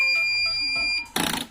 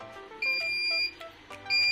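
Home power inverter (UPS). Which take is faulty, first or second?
first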